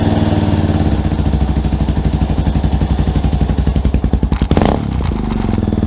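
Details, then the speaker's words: Rebuilt Yamaha Warrior ATV single-cylinder, not yet broken in: crisp, even thump at a steady beat, one brief clean throttle blip kept light, then back to a smooth idle; normal running. "i'm gonna do a quick little time lapse for you guys while it's running and do a little bit a little bit of rev not too much i don't want to hurt it it hasn't broken in yet"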